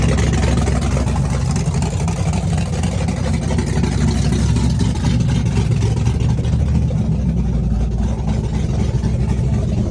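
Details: Chevrolet S-10 with a big cam on open headers, cold start with Holley red electric fuel pump: loud, choppy rowdy V8 idle with steady rhythmic lope, no knocks; cam exhaust lift 480/488, advertised duration about 297; normal lumpy cam idle.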